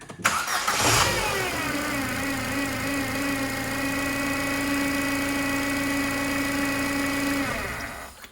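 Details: Ford Fiesta 1.2 that had been sitting, started with everything unplugged: cranks, catches, steady high whine over idle until shutdown; timing belt suspected, not confirmed.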